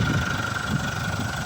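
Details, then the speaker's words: 204DTD diesel after rebuild with Chinese timing chain kit and new sprocket, tensioner earlier fitted wrong and redone: steady diesel clatter at idle with faint constant whine, still a bit loud but within normal range. "but in the range of normal so hopefully that's the end of it know"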